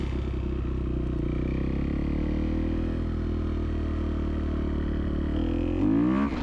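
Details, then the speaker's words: 2011 Kawasaki KX250F on a test ride after work on its idle problem, valves shimmed on the high side: a steady, even single-cylinder drone under load, then clean sharp revs; strong power and proper running. "she seems to run pretty good yeah this thing's got a ton of power for a 250"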